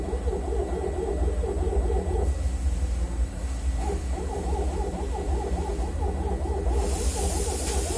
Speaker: Now I would like record noise. It's no normal noise.